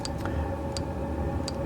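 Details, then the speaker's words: Cheap Chinese clone diesel heater, first run outdoors after fuel pump priming: crisp, even pump ticks about every 0.7 seconds over a low fan hum as it fires up; fan on and pump metering fuel normally. "you can probably hear that the fan has come on which is a good sign the pump is now clicking away nicely"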